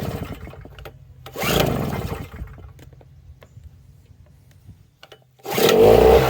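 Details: 1000W two-stroke TailGator-type generator (6ZHRS.0641NL) after replacing the broken pull cord and regreasing the recoil starter. Catches after short pulls and buzzes up to a busy, uneven run; starts and runs fine.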